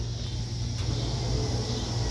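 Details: 5.3 LS V8 swapped into a C-10 rat rod before first start, engine off: steady low electric hum of the fuel pump priming and running normally.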